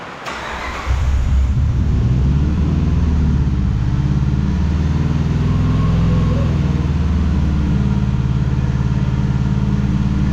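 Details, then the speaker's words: 2005 Dodge Ram 1500 4x4 Hemi V8 after swap to a donor engine, new fuel pump: lumpy uneven idle that stumbles now and then, a persistent miss still present at idle. "all right well it don't sound too bad sitting there idling but it's still got the Mist to it really need to get it down and uh get to put it a little bit more uh work I guess"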